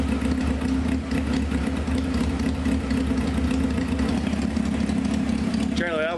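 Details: 1995 Honda CBR F3 after new plugs and oil, carbs bottle-fed with loose throttle bodies: a raw, loud, uneven burble at low idle with no muffler. Plugs are soaked and gas sprays everywhere, yet it keeps idling; over-rich.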